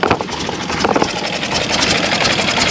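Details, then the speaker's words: 1930s Ford Model A four-cylinder that sat over 20 years, first run after revival and first drive under its own power: clattery, uneven running with stumbles. It runs but still needs work. "still need a little bit of work but it's running all right we got her going that's awesome"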